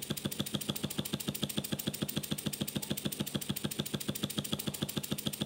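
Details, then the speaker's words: Hand-built model steam engine, boiler fired by a converted camping stove under it, after about fifteen minutes' heating and six weeks of building; fast, crisp chuffs at a perfectly even beat, no knocking or hesitation; normal running. "Harald's plan works. After a good six weeks of work, his engine really gets going."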